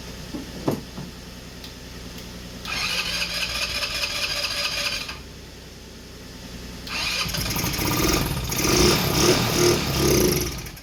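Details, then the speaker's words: 150cc GY6 engine in a Blade 150/RZR170 clone UTV on a cold day, jump-started and given starting fluid after opening the fuel shut-off, with poor-looking fuel: two long cranks that never catch. Cranks but won't start, suspected fuel supply. "We got the fire up, but it's not getting fuel."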